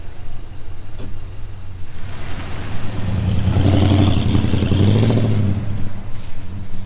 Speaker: now sounds good you can certainly see that under load now it's pulling itself up yeah anymore it's a lot better than it was